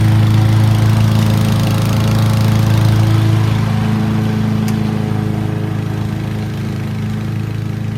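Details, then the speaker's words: Honda HRC216 mower with GXV160 engine, louder than the HRX217, cutting grass: steady, even, deep and loud single-cylinder drone holding speed without hunting or misses; normal running under load. "But this, it just eats and goes. I mean, it just keeps hammering that bag, packs that bag in heavy."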